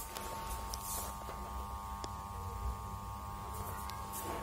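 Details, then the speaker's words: Old Crompton Greaves side fan switched on hums faintly, but the blades do not turn, from a weak start capacitor. "here as you can see that the fan does not turn and if you listen very carefully there is a faint humming noise coming from the motor"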